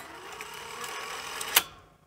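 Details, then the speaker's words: Sony SL-C7 Betamax VCR after repair of a squeaking motor: soft even motor whir during eject ending in a sharp mechanism click, with no squeal; normal motor running. "there's no squeal from that motor so I'm I'm really pleased about"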